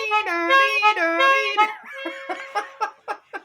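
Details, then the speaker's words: Trumpeter blower clock: reedy two-note trumpet calls at steady pitch, then soft mechanism clicks. The lever makes one trumpet sound twice, and the trumpet works normally. "wo Philip I'm still jealous that sounds like a German siren"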